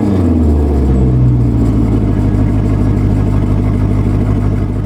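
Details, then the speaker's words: Maserati Quattroporte after fixing its misfires, driving on the road with catalytic converters absent: smooth even rise in engine note, no stumbles or popping, silky smooth with the misfire gone; normal revving. "listen to that that is just silky smooth now I'm beautiful little misfire is gone it sounds beautiful"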